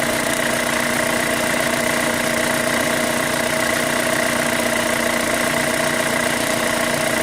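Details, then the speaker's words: 2005 Chevy Cobalt LS 2.2L with a P0304 cylinder 4 misfire code, idling: a fast, light tick of roughly two or three a second over the engine note; the owner suspects a lifter, unconfirmed. "Something's making a noise. I still think it's a lifter right here. It sounds kind of like one."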